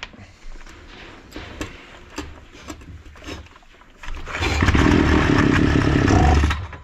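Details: Datsu two-stroke brush cutter that sat about 3 months and wouldn't start, after repair: fires after a few quiet seconds and runs with a steady even buzz; now running healthy.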